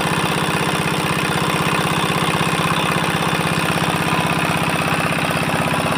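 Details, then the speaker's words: 4-hp Chinese single-cylinder diesel engine after fuel pump plunger installation and nozzle pressure setting: even, regular chugging at steady speed with no misses, knocks or uneven beats; normal running. "তো finally বন্ধু আমাদের ইঞ্জিনের fitting complete হয়ে গেল। ইঞ্জিনটা এবার start করবো, সাউন্ডটা একবার শুনুন।"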